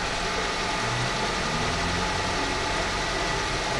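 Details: Idle during coolant bleeding after a flush, with a new belt fitted, water pump and tensioner working, and demineralized water added. Steady, even idle with a smooth low hum and no knocks, ticks or belt squeal; engine sounds healthy.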